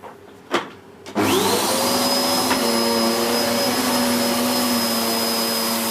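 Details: Hoover Whirlwind Pet WHS2102 001, a 2100W bagless upright bought in 2013 with a refitted belt, pushed toward the camera on carpet: the motor spins up quickly to a steady high whine and even brush roar, noisy from the aggressive brush roll raising the pile; normal.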